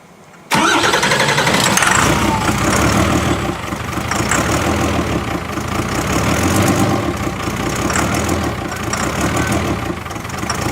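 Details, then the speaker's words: 2008 Ford Super Duty diesel just after first start: loud, shaky, uneven running with ragged firing; crew suspect the ether, and air is still being bled from the airlocked VP44 injection pump. "Is it being violent like that because of the ether? Yeah. Still get a lot of air out of it."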